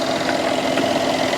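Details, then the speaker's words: Mercedes S550 W222 with turbos at idle: fast, light, evenly spaced ticking over a steady idle, not clattery. This is normal direct-injection injector noise, not a fault. "And if you're hearing that noise and you're thinking something's wrong, no, direct injection."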